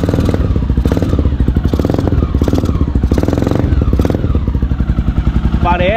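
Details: 2008 Honda Twister 250 single-cylinder after carburettor mixture adjustment; starts easier and idles with a steady, even low thump and slightly heavy, lazy beat, now running too rich.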